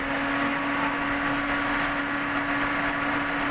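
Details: Toyota Vios 1NR with code P1605, jerking: idle holds a steady hum with faint uneven roughness underneath; rough idle with cylinder misfire, cause not pinned down.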